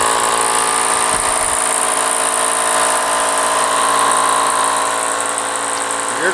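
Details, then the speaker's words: Hitachi EC79 air compressor after rebuild (switch, check valve, gauges, regulator, relief valve; previously never shut off and leaked): steady even motor hum and smooth pump beat building pressure, no air hiss; no leak, auto shuts off about 110 psi. "the pressures coming up and no leak oh yay so we have done it now okay it auto shut off at about 110 psi which is great"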